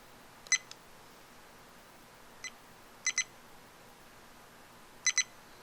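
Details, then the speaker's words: Viofo A119 Mini dash cam after recording button pressed by mistake: short high-pitched beeps, mostly in pairs, every couple of seconds, with the record LED blinking; warning that recording is stopped. "it's going to start giving me this kind of beeping effect so i can hear that whoops i pressed the wrong button plus the record led will start blinking here"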